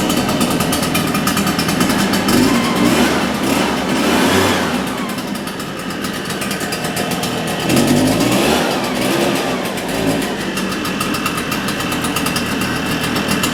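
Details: Shindaiwa EB802RT backpack blower after carburetor repair for dying on acceleration, exhaust confirmed clear: buzzy two-stroke idle climbing cleanly into two quick revs and back without stumbling; normal idle and acceleration.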